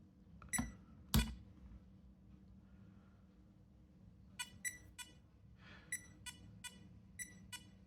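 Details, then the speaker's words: Vintage late-1970s Grandstand Match of the Day 2000 console powered from the jack to the board: two louder clicks, then short bright electronic beeps in irregular bursts over quiet hiss; it powers up, normal. "At least we know that when power comes in from the jack, from the yak to the board, it powers up."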